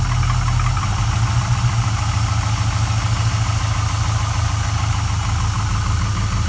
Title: Rebuilt LS1 piston slap or knock